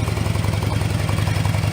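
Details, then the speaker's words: Harley-Davidson idling after both mufflers were repacked with fiberglass (right had none, left only remnants): deep, mellow, even loping V-twin idle, no rattles or ticks; noticeably different from before, normal idle. "It's mellow. It's got that distinctive Harley Davidson sound, but it's just like you can listen to that all day. It's not going to drive you nuts. Anyway, there's a noticeable difference from what it sounded like before."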